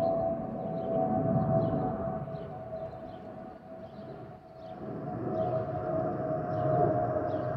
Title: 💛🖤💛Spirit Airlines Airbus A320-232 N607NK NK1617 MCO-DTW (FOPP whistling sound)💛🖤💛